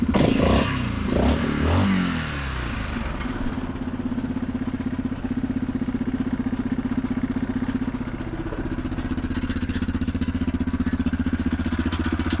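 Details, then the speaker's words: Neglected Yamaha Grizzly 660 ATV found with no antifreeze and no oil, idling: single-cylinder thumping about four beats a second with a sharp ticking puff on each firing stroke. Exhaust leaks are bad. "It's got exhaust leaks bad."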